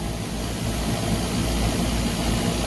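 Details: Trane package unit, new three-phase scroll compressor after swapping two power legs: steady, smooth low hum with no rattle or labouring, immediate pressure differential; now running in the correct direction.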